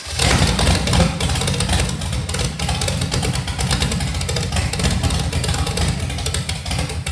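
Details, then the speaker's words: 1985 Chevy Camaro 400/406 small-block V8, first start in over 20 years after reseal, plug wires rotated: deep choppy uneven loping idle through open pipes that keeps running steadily; healthy big-cam motor, timing still to be dialed in. "Look at that. She's a runner."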